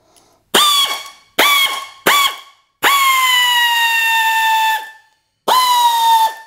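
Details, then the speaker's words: Air ratchet that had lost power, after cleaning debris from the air inlet screen and refitting the inlet: five sharp bursts of high whine that spin up instantly, one held about two seconds at steady speed; full power is restored. "you can see plenty of pep in that tool now so all it was was debris between the air Inlet and the coupler"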